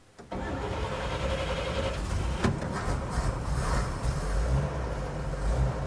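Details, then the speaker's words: 1950 Chevy truck after floor rust repair and new interior, low fuel: short crank then engine catches and settles into a steady, even run with no knocks or misses; oil pressure climbing slowly to 35–40 psi, choke on, healthy start. "There she is. Oil pressure's climbing slowly, but it is climbing."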